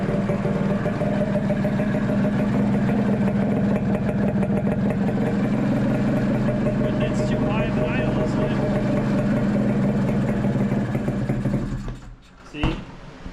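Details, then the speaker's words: 1982 Honda Odyssey FL250 rebuilt two-stroke with aftermarket Nibbi carburetor, hot after running, plug brown: fast steady idle well above normal, then dies; shuts off when parked with foot on wheel, runs well otherwise, jetting trials haven't fixed idle. "I try and like park it, put my foot on the wheel, it just shuts off. I don't know. So, it runs really well except for the idle."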